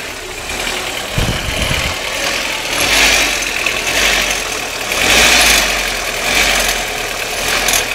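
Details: Audi 1.8T (AEB engine) petrol engine idling with a fine metallic clicking over a hissy, uneven background; the cause is unknown.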